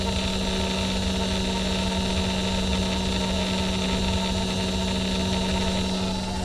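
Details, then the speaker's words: Saab 99 electric fuel pump, key on, after a relay mod with new power wiring so it gets a full 12 volts: constant low hum at one pitch without surging or whining; fuel pump running normally. "See, now that fuel pump is reading 12 volts for sure. And you can hear the fuel even run healthy all the way to the front of the car."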